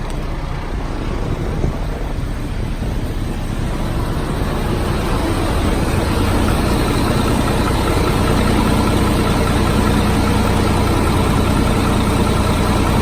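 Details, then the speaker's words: 2005 GMC bucket truck engine at cold idle; even low rumble with steady regular beat, no knocks, misses or puffing, no blow-by, motor smooth and quiet, a slight bearing noise possibly elsewhere: normal cold start idle. "the motor sounds perfect very smooth quiet like I said no blow by"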